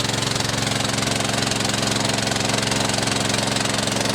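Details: Bushfire pump's small single-cylinder engine after carburettor replacement, started on choke with fuel on and pump plumbed to recirculate back into the supply tank; holds a fast, steady beat with even exhaust pops, no misses or surging, running smoothly.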